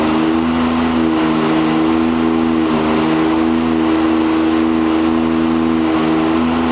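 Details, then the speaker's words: 2022 Can-Am X3 on dyno, big-injector tune on 93 octane with about 19 psi boost, stock clutch: loud steady drone with rpm hanging flat, almost a free rev; CVT belt slipping early in the pull. "I mean, it's pretty good right now, but it's just slipping on the beginning. Just slipping in the beginning."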